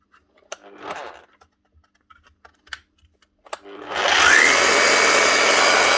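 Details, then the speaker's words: Bosch GBH 8-45 D rotary hammer after cheap repair of failed needle bearing and fan: handling knocks, then motor spins up to a harsh gritty rasp over its hum; noisy from worn gears, still working. "she's noisy because the gears are worn with Radley but she's running she'll keep working for a good while yet"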